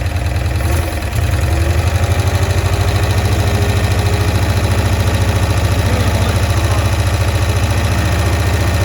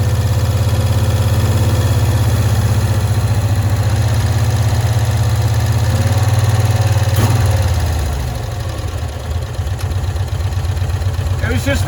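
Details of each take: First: 1965 Cushman Truckster, sitting one year, just started on choke: fast, steady low putter at about three and a half beats a second with a faint carburetor sucking edge while mixture screws are adjusted; owner suspects a stuck float. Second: 1965 Cushman Truckster small twin, sitting one year, after freeing a stuck screw, air filter cover off: holds a low, even idle for several seconds with no hunting or popping, then drops off; runs smoothly now.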